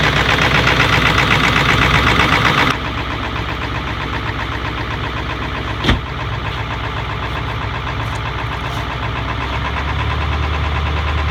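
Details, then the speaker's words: Ford 7.3 Powerstroke diesel, about 20 years old, cold start at roughly -30°F after a week at -40 to -50°F, plugged in 3.5 hours: steady rattling cold idle, muffled throaty exhaust, back pressure building; idles low until warm. Normal cold idle. "the truck is gonna idle real low in a while it's gonna idle up when it gets warm enough"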